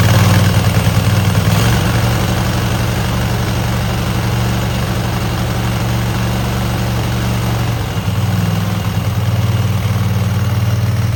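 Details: Cub Cadet garden tractor twin with new spark plugs and an uncleaned carburetor, choke frozen; has a gas leak. A low, even thrum holds steady at idle with no knocks or misses: a smooth, clean idle.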